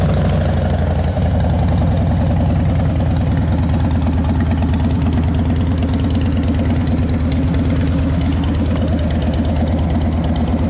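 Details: 2010 Harley-Davidson Dyna Wide Glide, fuel-injected V-twin, key-fob start: deep, loping idle at about three beats a second, even and steady with no knocks or misses, with the fuel injector audible. Normal idle.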